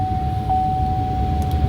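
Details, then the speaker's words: 2003 Chevrolet Silverado 1500HD with the engine running: the A/C blower rushes constantly with a steady tone even with the A/C switched off. It keeps running at all times, which can drain the battery. "my AC is actually off. I can turn it on, but my AC stays on. My AC blower stays on at all times."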